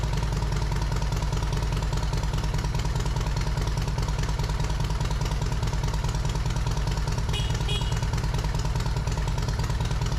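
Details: Yamaha Road Star Silverado 1700 V-twin after fitting new OEM ignition coils, plug caps, wires and spark plugs, slightly cold: steady even thump at idle, about three beats a second, no misses or knocks; normal idle.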